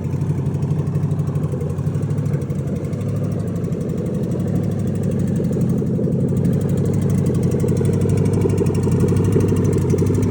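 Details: Rebuilt junkyard 2005 LSX V8 on its second start, idling with a steady low rumble and a light, quick ticking running along with it; source of the ticking unknown.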